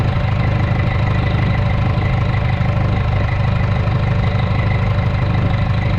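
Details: Rebuilt Detroit diesel restarted after dirt was found in the charger system, source still unknown, with a broken governor line still to fix: deep, steady idle, even firing, no knocks, misses or odd noises; healthy.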